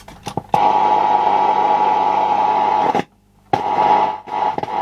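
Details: Late-1970s Hitachi TRK5000 mono cassette radio, inspected because the cassette deck doesn't work: loud crackling hiss with a steady mid tone that drops out and returns abruptly as the volume knob turns; dirty, worn volume pot.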